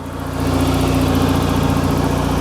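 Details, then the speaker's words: 1991 SAAB 9000 Classic Turbo CC, automatic, 223,000 km, after five years stored: loud, deep, blatty idle with hard even pulse after the rear muffler fell off on first drive; loud exhaust from missing rear muffler. "the rear muffler fell off so now it's got a full exhaust sounds like sub on steroids"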